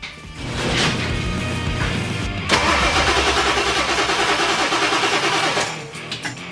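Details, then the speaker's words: 1997 Ford 7.3 Powerstroke after replacing the O-rings on all eight injectors, on the first start attempt with harnesses reconnected. Long steady starter churn, around three turns a second, with no catch; a lot of air is believed to be in the system. "probably has a lot of air in the system oh yeah lots of air hope there's enough battery that all"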